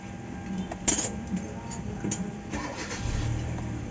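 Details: Kia Soul after cranking no-start and hard-starting fix: brief crank catches almost immediately and settles into steady running; one-click clean start.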